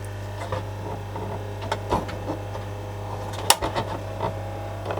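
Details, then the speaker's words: 1982 Philips D8323/10 boombox cassette deck in play: steady low motor hum with clicks and clunks, reel briefly turns but capstan not running, transport strains; slipping drive belt, later replaced, also needs new pinch roller. "The Reel took off for a second but even the Capstone isn't running so I still got a shot built there"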